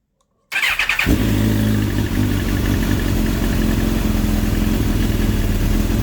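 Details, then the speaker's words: Suzuki GSX-R1000 K8 with an FI fault code, owner suspects an electrical problem: starts, then holds a fast idle with an uneven, lumpy beat, seemingly not firing on all cylinders; won't rev past 2,500 rpm, cause unknown. "Sounds like not on the all cylinder, but looks like our wires it's working."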